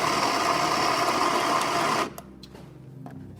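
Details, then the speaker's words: Baratza Vario coffee grinder, brought in for grinding only fine and recalibrated, being adjusted to the espresso setting while running: steady motor whir with smooth bean grinding, the motor slowing as it goes finer, then a clean stop; normal grinding. "And now we're gonna go for espresso. So you can hear the motor slowing down."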